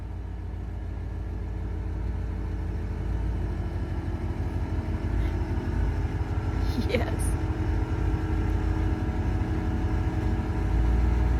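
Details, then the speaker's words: 1992 GMC Sierra 3500HD, running under its own power after fuel pump replacement and alarm system disabled: engine catches and settles into an even, steady idle with no knocks or misses; healthy. "So, we now know it runs under its own power. Just needed a fuel pump and of course, you know, disabling the alarm system that was in it."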